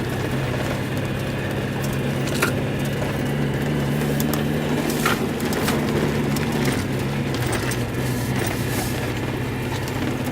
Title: miata stumble and misfire